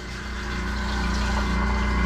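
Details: Newly installed E/One sewage grinder pump on test after troubleshooting: steady low hum building smoothly, no surging or straining; normal running.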